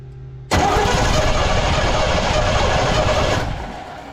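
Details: 1984 Chevy C20 3/4-ton 2WD truck, revived after years in storage: about three seconds of steady cranking at roughly four beats a second, never catches. No spark even after swapping the distributor cap.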